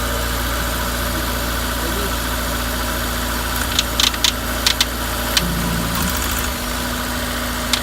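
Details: Honda S2000 F20C idling: sharp uneven ticks and knocks through the engine hum, cause unknown; new OEM timing chain tensioner fitted, rod bearings, thrust bearing, head, cams and retainers checked OK.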